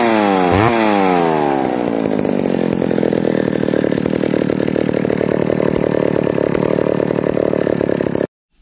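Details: Neglected old McCulloch Super 250 two-stroke chainsaw revived: drops from high revs to a steady, even idle for several seconds with no hunting or misfires, then shuts off; running well.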